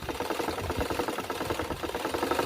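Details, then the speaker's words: Excel portable sewing machine with original parts, after repair: quick, even needle clatter at a steady rate with no catching or grinding; it runs smoothly, quietly and sounds healthy. "Ito, tahimik na tahimik. Kaya nga. Na, Hindi siya maingay, original pong parts nito na."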